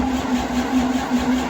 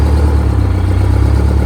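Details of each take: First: Detroit Diesel 92 series that sat 20 years, installed in a bus: steady, slightly slow cranking that never fires despite pre-primed fuel rails and injectors; air in the fuel system is starving it of fuel. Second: Detroit Diesel 92 series military-surplus engine, sat 20 years, just installed in a bus and first started after fuel priming: loud, deep diesel clatter holds steady with a brief dip near three seconds; fires and keeps running on its own.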